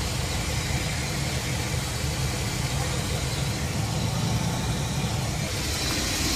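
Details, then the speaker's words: Chevy Express van, 4.3L V6, after about 10 days chasing a P0300 and cylinder 5/6 misfire. Now an even, steady idle with no skips or dips. Normal idle. "well finally after I don't know about 10 days it works finally works"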